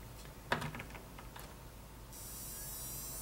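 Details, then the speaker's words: Fluke PM6680B 225 MHz frequency counter that won't power on, with the standby LED dimly lit. Its flyback switching power supply transformer gives a steady, growing high-pitched squeal. The fault was traced to a bad precision reference IC, which was replaced. "you hear that sounds very squeaky and now it's much much louder that of course sound is emitting from the the Transformer yep it is not happy"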